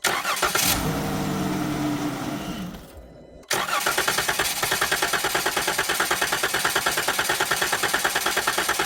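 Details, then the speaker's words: 2011-2020 Dodge Grand Caravan/Town & Country with fuel pump fuse M25 pulled to relieve fuel pressure before injector replacement: engine fires, runs a couple of seconds and dies, then cranks steadily about three beats a second without catching, showing no fuel delivery. "The engine may run for a couple seconds and then die, and then we'll crank it over for 3 to 5 more seconds just to clear everything else out."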